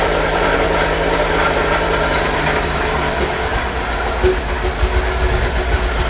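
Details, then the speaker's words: MGB 1800cc not run for a few years, started cold without choke: an uneven, lumpy idle with an irregular beat and dips, running on only two or three cylinders; the plug leads will be checked next. "it's running on about two or three sounds like it's not running on a couple of the cylinders yeah i think we'll just check the plug leads and things"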